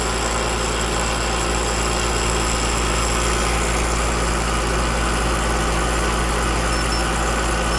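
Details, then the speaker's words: Home AC Alliance scroll compressor chattering: steady low hum with rough uneven chatter about four times a second; tech suspects scroll plate damage from liquid floodback, but the system was then found to have no refrigerant. "That just sounds like the scroll plate. I've seen it happen a lot lately on these run-throughs with Alliance compressors, and just too much liquid getting back. These compressors are just wussies."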